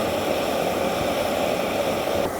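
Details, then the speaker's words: EZ-Wok X7 burner with a 0-30 psi regulator, main valve full open: a loud, steady roar with about 1.25-inch blue flames. The regulator pressure is too high and should be backed off to lower the flames. "now what we want to do with the regulator is back off the pressure a little bit you can hear it as well as see it"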